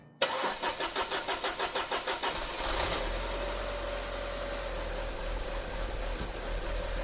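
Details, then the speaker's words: Audi A4 after a DIY timing belt and coolant flange job: petrol engine cranks briefly, catches cleanly and settles into a steady, even idle, confirming correct timing. "Okay, it's running. It is running. Our belt is on there. It sounds good."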